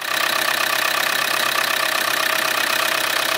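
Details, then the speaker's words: Land Rover 300 TDI diesel revved just above idle with a light, steady tapping, about three per second, heard while driving and seemingly from the top end; the rocker cover is checked with a mechanic's stethoscope, cause not yet confirmed. "Now, it sounds like it's coming from the top because it's a light tapping"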